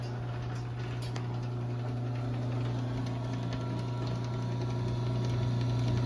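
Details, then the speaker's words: LiftMaster 8587 chain-drive garage door opener on a 7-foot sectional T-rail, now on the small sprocket (slower travel): steady low hum with a soft, even chain run and no clatter or grinding; runs very quietly and healthy. "But yeah, it is very quiet. I really like it."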